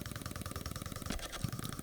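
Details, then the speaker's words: Canon EF 50mm f/1.4 lens hunting autofocus. It makes a fast buzzing chatter of about a dozen pulses a second, loud enough to be audible in video recorded with in-camera audio; the owner is unsure if only this copy is affected. "but it makes that noise and when you're recording video you will hear it"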